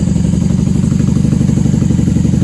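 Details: 1994 Honda Magna 750 VF750C V4 on choke after fuel line repair, airbox removed, factory pipes with baffles out: fast, even, loud exhaust pulses at steady idle with no misses or clatter; normal idle.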